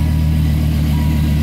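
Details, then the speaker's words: 1990s Dodge V10 with six-speed Tremec T56 manual, starting up: deep, even, lumpy rumble with a steady beat and no knocks or misses, healthy idle; separate left and right five-cylinder exhausts that never meet give an angry truck-like sound. "take a listen to that exhaust so you have five cylinders on that side and five cylinders on this side and they don't meet up at all which gives it this kind of like angry UPS truck sound"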